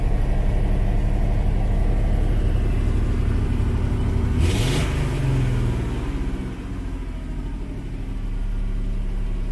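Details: 1989 Ford F-150 4.9 L (300) straight-six at idle after severe overheating: lumpy idle with a repeating stumble about four times a second, a dead miss; owner suspects head gasket, compression test planned.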